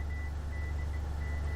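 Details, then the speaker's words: AALogic cable fault locator on aerial resistive cable fault, hand coil moved beyond the fault: faint high tone breaking up over a heavy low hum; signal fading beyond the fault. "you should see a signal that's greatly diminished or no signal at all the farther we get away from the thought the less signal we're going to have"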